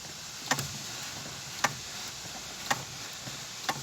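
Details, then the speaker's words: Lada Granta clutch pedal, no engine running, pressed by hand after spraying WD-40 into the mechanism: short sharp squeaks with each stroke, fainter than before. "он слышите скрип это педаль сцепления"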